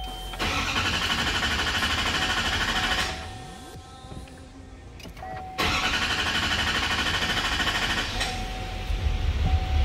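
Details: 2020 GMC Sierra 6.6 diesel right after a fuel filter change, electric pump self-purging: cranks, catches, dips briefly, then fires again and settles into a steady diesel run; normal start.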